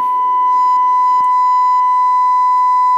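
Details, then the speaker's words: LM380N bridge amplifier on breadboard, 1 kHz, 500 mV input, pot turned up: clean, steady test tone at even level, no crackle or distortion, fairly loud but lower gain than hoped; amplifier passing signal normally. "I'm definitely getting something out of it you can hear it not a lot gain though really"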